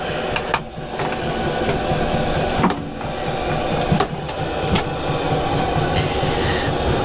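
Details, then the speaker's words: Starter motor on a bike off the road about a year and a half (last MOT April 2024): harsh steady grinding rattle, engine turns over slowly, never fires, drains the power pack quickly; faulty starter motor grinding, replacement ordered. "That is the starter motor, and that sounds really, really horrible when the engine turns over, and it drains my power pack really quickly."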